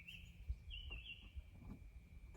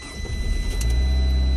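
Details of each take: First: 2012 Fiat 500: the starter grinds the engine over unevenly for a few seconds and cuts out without firing, blamed on lost oil prime; fixed by pushing a screwdriver into a small hole in the oil filter housing to prime it. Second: 2012 Fiat 500 that cut the starter after losing oil prime, restarted after the fix: short crank, then catches cleanly and settles into a smooth, even idle; healthy start.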